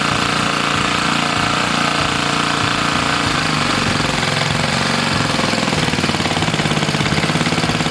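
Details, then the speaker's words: 1970 Hahn rototiller's Briggs engine (points and condenser, auto-choke carburetor): from a 1.5-turn mixture-screw setting that ran fine, the screw is turned in and the loud, busy single's beat sags and roughens as it runs lean and slows. "so one and a half was a good starting point and ran fine there but I just wanted to show you you know you turn it in"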